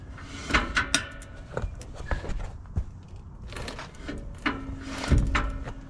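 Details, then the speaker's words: Tandem-axle trailer electric brake bench-tested with battery hooked to the magnet, wheel spun by foot after replacement: scraping and scattered clunks, then a steady drag hum as the magnet grabs; the brake engages normally (earlier failure possibly a stuck magnet). "all right it's working now you hear it all right it works fine now"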